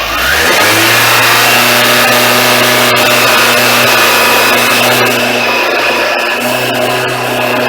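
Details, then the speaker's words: Suzuki Katana motorcycle parked all winter since last fall, third winter on a Ballistic battery with no charging, cold March start: catches, revs and settles into a steady even idle with a clean hum; normal cold-start idle. "the bike started up so I'm just going to sit the camera down for now and I'll let the bike idle and warm up"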